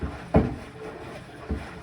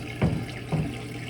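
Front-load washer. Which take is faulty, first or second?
first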